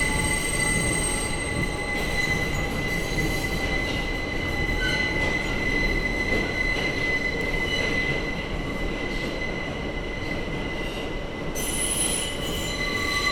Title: The Abhorrent Screeching Noise that is this Tunnel